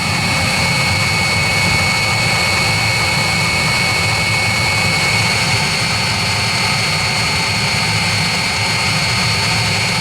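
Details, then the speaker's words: 16 kW Chinese diesel water heater, just after startup: constant smooth burner roar with faint high whistle, no surging or popping; running normally at full burn. "what we're do now you heard it running I'll switch the camera off for a minute and we come back to it once it's up"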